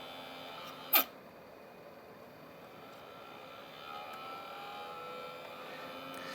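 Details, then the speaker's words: TiVo Roamio recorder powered from a 12 V 2 A supply: a faint, steady hum with thin tones from the small internal DC cooling fan, transmitted through the case into the surface it sits on; noisy fan. "Sure, we can hear that humming, and that is coming from the little DC fan."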